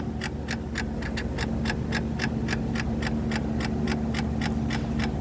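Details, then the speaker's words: Ford Focus with code P287A (clutch B stuck engaged), hard shifts and no reverse: rapid steady clicking about four a second, clutch actuator straining against a seized clutch fork under the car. "believe that's just the actuator failing to turn the clutch Fork underneath the car here"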